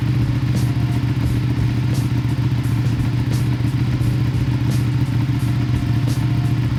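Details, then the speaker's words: Ducati 959 Panigale twin idling at startup right after installing Ducabike clear clutch cover and new pressure plate: steady deep thumping beat with light ticking; normal idle. "So I'm gonna go ahead and start it up and let's see what we got."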